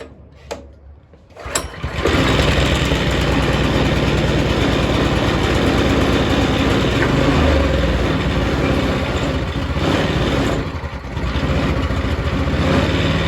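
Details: Yerf Dog go-kart single-cylinder engine with choke on, after cleaning the carburetor, tank and tank filter and adding fresh gas: it catches after a couple of pulls and runs ragged and uneven with a wandering beat. Rough running, cause not determined.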